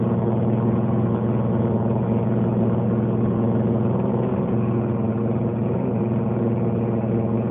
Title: LG Dishwasher making noise